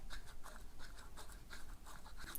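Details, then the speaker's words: Genuine Wera KK25 spring mechanism, compared with a knock-off: light, quick, crisp clicks with no scraping. It has a much stronger spring that does not rub like the counterfeit's does. Finding: normal spring mechanism. "a much stronger spring and it's not rubbing like this one is"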